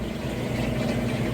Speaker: and then final spin, which is what I'll come back for next, the fastest final spin, so you can see that it's nice, smooth, and sounds great during that operation. Alright, we are on that final spin. It's up to full speed,